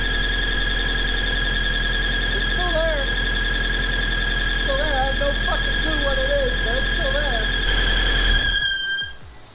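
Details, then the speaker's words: Engine after a VTEC cylinder head swap, with the transmission disabled (clutch and throttle bearing removed) to rule it out. A steady, piercing high-pitched squeal rides over the idle and stops when the engine stops; owner suspects the cylinder head, source unconfirmed. "so by disabling the transmission I eliminate the idea that there is any possible way that the bearing noise to be coming from within the transmission"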